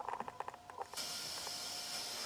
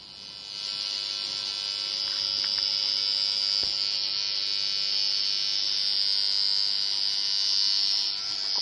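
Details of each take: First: Behringer Eurorack UB1002 mixer, heard through valve amps. A few soft clicks, then a steady, even clean hiss with no mains hum, where there was a horrible hum before. This mixer model is known for hiss. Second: Behringer Eurorack UB1002 mixer feeding valve amps gives a steady mains hum with a bright hissy edge; the hum comes from the mixer, not the valves, and disappears when the mixer is off; recapping is the intended fix.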